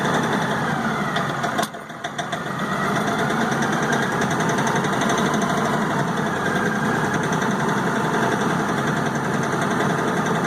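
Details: LS XR4155 diesel tractor, throttle fully down yet idling near 1200 rpm: the engine dips and recovers, then hunts unevenly at about three or four beats a second. Owner suspects a missing cylinder; rough running and surging.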